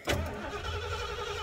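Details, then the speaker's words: 1987 Ford Econoline 350: starter cranks with steady drone but engine never fires, crank-no-start; ignition coil or ECM suspected. "hear that it's just cranky nobody home nothing happened"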